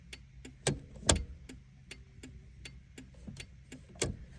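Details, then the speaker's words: 1985-1988 Toyota Pickup/4Runner turn signals with the engine idling, after the hyper-flash fix (two wires snipped and the capacitor removed from the green flasher relay): crisp, even relay clicks at a normal slow flash. "Hope this helps. Get those slow blinkers back."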